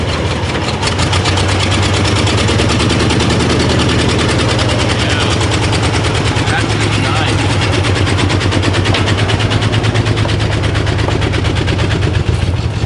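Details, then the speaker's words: 1991 Ford F150 5.8L, first run after throttle position sensor replacement: a loud, lumpy, stumbling idle. A stethoscope at the injector base showed one injector not firing, so one cylinder misfires and is dead. "we found one injector that isn't fire we took the stethoscope put it up to the base of the injector"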